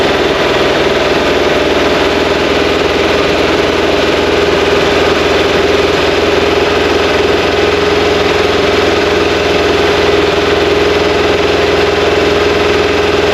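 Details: Fresh 2180cc VW air-cooled flat-four (92 mm thick-wall AA pistons, big crank, CB heads) for a 1968 single cab on its first start and break-in, being run to set timing; strong, steady idle with no knocks.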